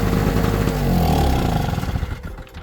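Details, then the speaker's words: Performance Power NLE850PG 850 W two-stroke generator, after carburettor cleaning, running in the garage with the cover off: raspy two-stroke buzz fires and runs, then the pitch sags and it winds down; it now starts, normal. "Okay. Well, it now seems to start."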